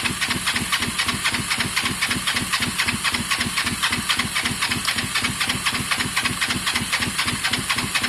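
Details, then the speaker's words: Kawasaki ER5 twin cafe project, air filters refitted: steady starter chug about four beats a second, no firing; both spark plugs show good strong spark, so owner blames fuel delivery and plans removing carbs; crank no start. "both spark plugs show good strong spark um fueling problem uh i've got to get these carbs off"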